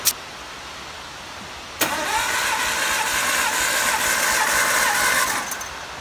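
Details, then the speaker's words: 1954 MG TF four-cylinder, cold engine, cranking during the compression test with the gauge on cylinder two, which reads about 110 psi: even starter beat around 220 pulses a minute for about three and a half seconds, no uneven compression strokes; normal even cranking. "we're at a hundred and ten about a hundred and ten pounds of pressure"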